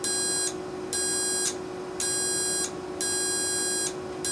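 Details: Carrier furnace control board HK42FZ011, heat-side relay powered with meter on continuity: steady beep pulses about once a second as relay pulls in; contacts close and relay works.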